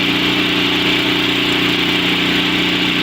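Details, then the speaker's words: Two-stage snowblower with a four-cycle engine, electric-started and warmed about 30 seconds with the choke stepped off after sputtering: a loud, even idle with no sputter or hunting, a normal warm-up idle, now ready for choke fully off. "now finally i think that the engine is ready to run smoothly so i'm going to take the choke off all the way"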